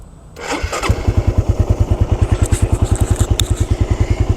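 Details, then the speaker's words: 2013 Suzuki Satria F motorcycle, about 63,000–64,000 km, listened from left side at cam chain: starts promptly, brisk even idle putter about three pulses a second; smooth, cam chain, the model's known weak point, sounds fine. "dan ini suaranya kayak gini guys masih halus dan banget Satria F itu kelemahannya di rantai keteng ya dan yang gua dengerin dari sisi sebelah kiri yaitu bagian keteng ini masih aman banget"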